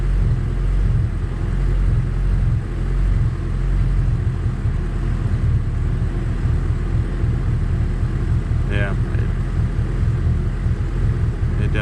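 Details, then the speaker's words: High-compression Honda D16Z6 build after valve lash, with the mixture leaned out: low, steady idle with an even beat, slight cam lope and occasional lean pops. It's much better and the motor is much quieter. "idle's very low it's got a bunch of lean pops but kind of hear that the cam a little bit like that now the idle's down nice and low and the motor is much quieter"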